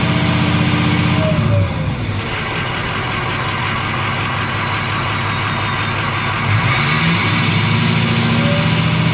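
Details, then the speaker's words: 6.0 Powerstroke diesel after No. 8 injector replacement for excessive smoke and high-pressure oil system refill; strong, even clatter rising and settling smoothly through throttle blips, no misfire: normal running. "and finally started up of course I didn't have the camera going when it finally did start but we did get it started"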